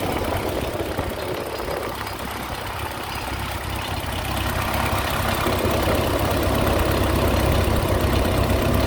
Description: My Ford 8N is making a strange noise.